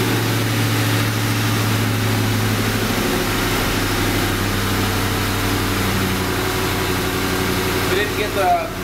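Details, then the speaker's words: 1994 Mustang Cobra swap V8 at idle with a deep, resonant knock tied to engine speed that worsened after being driven hard while warming up; owner suspects a spun rod bearing, unconfirmed until torn down. "i'm going to start it so you can hear it but it's definitely a rod knocking probably spun a bearing more than likely i don't think i spun a i think i spun a rod bearing because it just gets worse and worse"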